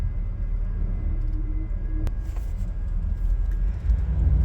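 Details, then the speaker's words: 1993 Chevy Beauville van driving with carpet removed over a metal floor: a faint, steady high hum from the in-tank electric fuel pump is audible under the cabin rumble; normal. "another noise you can hear right now sounds like a little motor like a little wine that's the electric fuel pump in the gas tank you know"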